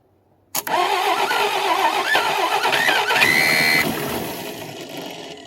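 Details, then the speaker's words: 1961 Studebaker Lark revival with batteries charged, plugs torch-cleaned and throttle propped open: the starter cranks, the engine catches for a few ragged beats, then dies, firing briefly but not running; ignition timing still unsure. "That sounded like a start. Well, I don't know if that counts or not. Try it again."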